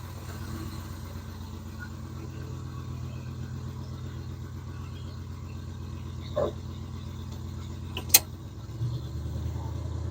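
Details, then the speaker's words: 1987 Oldsmobile Cutlass Supreme 442 V8 just after cold start, fast idle brought down but still a little high: deep, steady, even idle with no misses or knocks, a few handling clicks; normal idle. "just get this fast idle down there we go okay so it is a little high but I actually keep it tuned as best I can"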